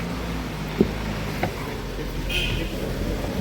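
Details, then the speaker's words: Citroen Jumper diesel after oil pump, oil and filter replacement (old pump failed from metal debris in overdue oil, oil light on): warmed-up steady, even idle with smooth low rumble, no knocking; runs like clockwork. "Evet yalandan ısındı motorunu saat gibi çalışıyor"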